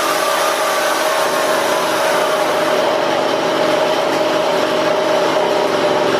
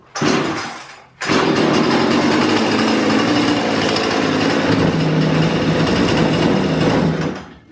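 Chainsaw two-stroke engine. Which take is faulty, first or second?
first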